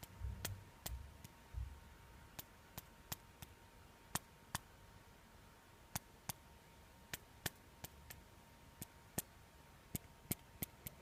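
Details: Xiaomi Mi4C phone: sharp uneven ticks and clicks, a light rattle from the upper body; owner suspects a loose internal part vibrating with the speaker, also distorting call voice.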